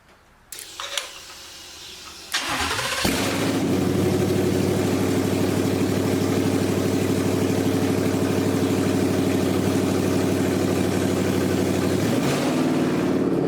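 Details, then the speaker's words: 1979 Ford Bronco with Gen3 Coyote V8 swap and 10-speed automatic, started on a temporary bucket fuel setup: starter whirr, then a steady even idle with smooth firing and no knocks or misses; the ECU is still learning. "man that sounds good and I'll tell you with every time you start it and then begin to drive it the ECU learns"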